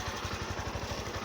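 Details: Honda Fan 160cc motorcycle, serviced through its 18,000 km revision, recorded on a phone: even, soft exhaust pulses at about eight per second with no valve tapping or rattle. The owner calls the engine quiet; a healthy single-cylinder idle.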